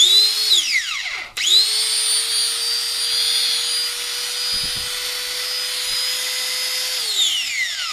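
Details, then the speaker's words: Angle grinder after bearing replacement and brush reinstallation, running free: clean steady high whine without rattle or growl, winding down smoothly; repaired and ready, previously noisy with no cutting power. "Perfecto perfecto a ver si esto traba bien Sí perfecto ya está lista para entregar"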